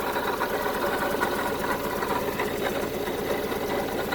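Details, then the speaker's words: 1974 Honda Civic Series 1 Mk1 running rough with misfire, during compression/spark plug testing: idle with quick rhythmic chuffing from an exhaust leak at the back. "I've got an exhaust leak at the back as well. I can hear exhaust leak, it's chuffing away."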